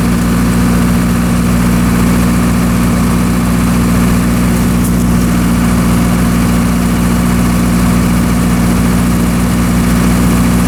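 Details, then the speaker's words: Military surplus generator, restarted after years of sitting and fitted with a new flex radiator hose, on overload trip tests across phases. A deep, steady drone holds even pitch under heavy overload with little droop, no hunting or misses, and no spurious trips: normal running. "all right everything seems to be operating properly as you saw in the video the generator was able to handle a fairly significant overload without too much droop"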